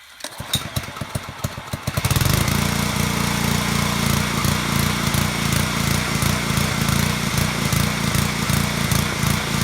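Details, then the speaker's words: Pressure washer small petrol engine surging at idle, RPM hunting up and down; attributed to a partly clogged carburetor pilot jet (varnish or debris), fixed by a carburetor cleaning trick with no new parts; harmless but annoying. "you can clearly hear that, right? The RPMs are going up and down like that. It's not going to hurt your engine. It's just really annoying when it does it."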